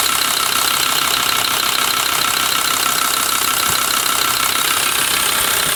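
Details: Volkswagen LT 35 2.5 TDI (AHD) diesel, warmed up: sharp, fairly regular ticking knock about three per second over a hard idle, also when accelerating, not when coasting; owner suspects camshaft area; new vacuum pump and rod made it quieter. Cause unconfirmed.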